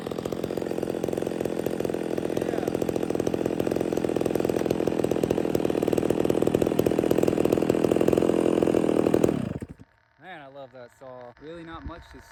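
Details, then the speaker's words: Stihl MS 660 chainsaw with a 32in bar, after carburetor and air filter cleaning fixed its failure to hold idle, screams at steady high rev cutting pine with no bogging, then shuts off; runs right, though the owner notes a leaky fuel cap and some smoke. "I know it's just Pine but that was pulling it no problem the whole entire 36 32in bar man 660 that's a beast brother"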